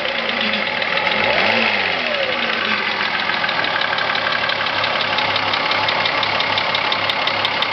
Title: corrado vr6 engine knock